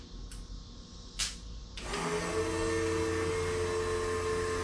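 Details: Factory Five 35 Hot Rod Truck at first start attempt: after a couple of clicks a steady electric hum with fixed mid-pitched whine holds evenly, pressure peaking around 40 psi versus 58 target. Normal fuel pump priming.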